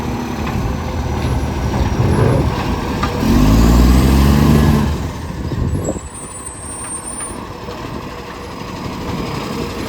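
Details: City of Joondalup truck SL061: deep, loud roar swells for a couple of seconds as it pulls away, with an air-brake hiss. Likely an exhaust leak.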